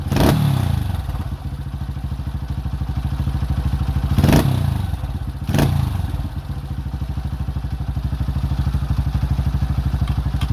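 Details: Repaired 2005 Honda CRF150F (no-start fixed by valve adjustment and carburetor tune-up) during carb adjustment: a steady single-cylinder idle thump between three sharp throttle blips that rev cleanly and drop back. It runs properly.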